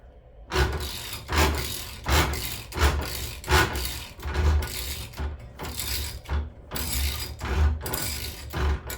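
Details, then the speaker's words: Gene Berg 5-speed VW gearbox after shop fitted new shift forks and nose cone, turned by hand in fifth: rough gritty grinding surging about once a second, as if slipping or not catching; cause unknown. "It sounds like sounds like it's grinding on something, which is a scary thing to hear."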